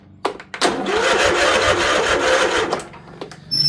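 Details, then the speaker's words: Tesla Model Y with a dead, possibly corroded 12-volt low-voltage battery: brief sluggish whir that drags and winds down after about two seconds before jump-starting; slow cranking from the nearly dead battery. "If I try to start it, this is how dead the battery is. And you can hear it kind of winding down. The battery is almost dead."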